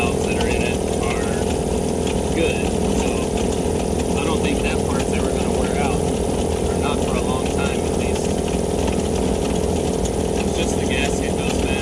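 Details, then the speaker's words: Cheap Vevor air compressor pump after a homemade head gasket fix, now building pressure: fast steady pumping, about four strokes a second, over a dry rumble; owner suspects a bearing going, not checked. "sounds like I might have a bearing going down too I didn't to check that as well"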